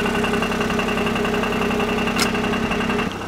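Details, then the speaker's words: Free Smart car, engine said to sound like skeletons on a tin roof, oil level fine: loose, uneven metallic rattle over a busy idle at about four per second from start-up; exhaust suspected, then doubted, source unconfirmed. "yep that's exhaust rattle before the engine's even running it KN rattles out it's"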